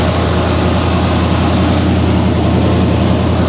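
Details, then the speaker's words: Square-body Chevy truck, GM Goodwrench 350 small-block crate motor with Edelbrock carburetor, cold; steady fast even idle sitting well above normal before being kicked down. "It's idled up pretty high. See if we can kick that down real quick."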